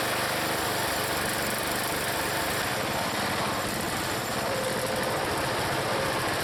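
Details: Small single-cylinder log splitter engine on a cold day, Seafoam added, splitting firewood under load: steady, even drone with no surging, stumbling or knocking. It runs good and healthy.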